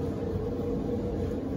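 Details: Maytag electric dryer after service, cleaning and bushing repair for loud noise at startup: even, quiet drum rumble with soft steady hum near 500 Hz, no squeal or thumping; runs smooth like new.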